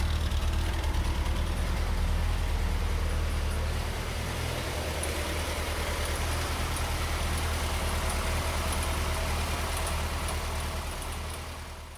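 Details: Gasoline engine that replaced a failed diesel, idling on a freshly rebuilt Holley Weber Motorcraft 32/36 5200 carburetor: a steady, even idle with a regular low beat throughout. It runs smooth and healthy.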